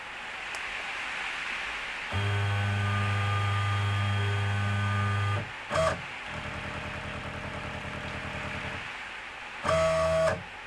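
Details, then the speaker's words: WorkBee CNC router after controller upgrade to a 4-axis TB6600 parallel-port stepper driver board running Mach3; "probe Z" hotkey drives Z down onto touch plate then backs off. Steady stepper hum, short clean bursts, heavy rain on workshop roof behind; normal Z probe cycle. "it was called probe zed so it was a pretty good indication of what was going to happen"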